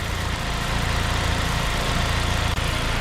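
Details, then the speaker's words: Saab 9-5 idling after coolant leak repair and vacuum lines replaced: even steady idle with smooth low rumble, no hiss or stumble, vacuum leaks fixed, before warm-up. "all right boys everything is back into place no more vacuum leaks sounds good over here"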